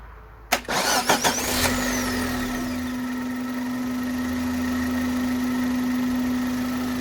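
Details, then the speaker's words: 2000 Suzuki Jimny converted to a Vitara 1.6 16v engine, first start before the radiator is fitted. Starter whirr, a quick catch, then a smooth quiet idle. There is slight smoke and a slight misfire, probably oil; the timing belt will be replaced anyway. "a bit of away from the timing belt i'm going to replace it anyway but runs nice very nice now"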